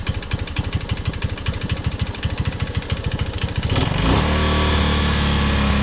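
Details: Honda ATC185 single-cylinder after carburetor fuel mixture screw set 2.5 turns out: steady thump at idle, then picks up and holds a higher speed without stumbling; runs fine, normal idle.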